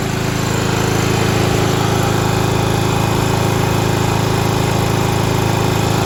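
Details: 1995 Craftsman LT4000 lawn tractor, single-cylinder engine, after sump gasket replacement, throttle picked up: steady thump about four a second with a buzzy rattle riding on it. A panel near the hood is vibrating; engine running nice.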